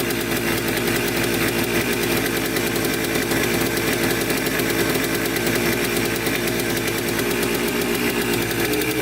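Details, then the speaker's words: 1996 Yamaha Blaster 200 two-stroke, reportedly just rebuilt, that bogs with no power, heard idling up close: loud, raspy, ragged idle with heavy white smoke. Owner suspected a crank seal or air leak; a large air leak was found. "i'll start up for you guys here quick you can hear idle up close and then we'll start digging into it full tons of white smoke there's an air leak right there"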